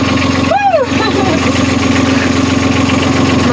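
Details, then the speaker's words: Sailing catamaran's diesel engine, which had completely stopped, restarted after a wiring fault was fixed: it settles into a steady, even chug of about four beats a second with no misses or knocks. Normal idle. "so we got the engine working it was wiring"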